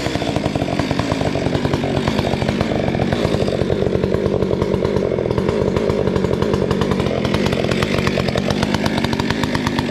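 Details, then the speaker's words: Modified Stihl 462C chainsaw, 28-inch bar, full-house chain, trimming a heavy poplar log: runs under heavy load with rapid uneven chatter and dipping revs as it bites; rakers filed too low make the chain grabby, so the saw dies out. "My rakers were filed a little bit too low, and it's just real grabby. So you'll hear the saw die out."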